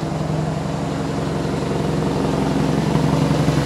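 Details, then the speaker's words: 1991 Toyota Carina II after alternator replacement, jump-started: rough idle with steady low puffing chuff about three pulses a second, battery light then goes out; exhaust blowing from a leak. "there's the battery light but it starts and the exhaust is blowing so hopefully you can hear me"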